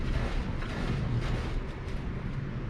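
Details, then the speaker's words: 2012 Polaris RZR 4 800 suspension flexing on a jack after greasing joints and WD-40 on non-greasable ones: only a dull low rumble and soft thumps, no squeak. "no squeakies all right we'll hit up the front"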